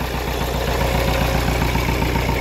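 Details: Kia Carnival diesel, hard morning starts, warming up at idle: uneven, lumpy clatter that stumbles rhythmically instead of ticking evenly, thick smoke; turbo fine.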